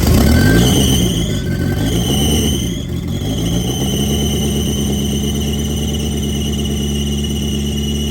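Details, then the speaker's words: 1990 Eclipse GSX, first start after the intake manifold was refitted: cranking whirs, then it catches and holds a steady idle with a faint belt chirp and no knocks. The engine runs. "Oh man, that's super exciting. Okay, so at least we got that out. We know the engine runs and everything."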